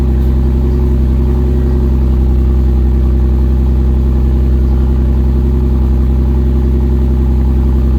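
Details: Toyota 2JZ-GTE run on an E85/93 mix (~E50) after sitting three days: loud deep idle with uneven lumpy beat, two or three stumbles a second; misfiring rough idle, also misfire under boost; cause suspected, not confirmed.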